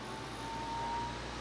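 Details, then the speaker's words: Intel TS15A stock-style CPU cooler fan at full speed during CPU overclocking stress test: loud steady rushing whoosh with thin ~900 Hz whistle, desk vibrating; CPU throttling as package temperature passes 100°C. "그냥 일반적으로 인텔 기 쿨 같은 경우에 플러드 돌 명 에 약간 그런 소리가 나는데 지금 이거 4 후후 해서 봐 여기가 책상이 울려요"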